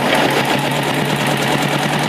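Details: 1956 BSA BB31 single-cylinder motorcycle, started by hand: quick, even beat holding steady at idle, no knocks, misses or rattles; healthy, smooth-idling engine.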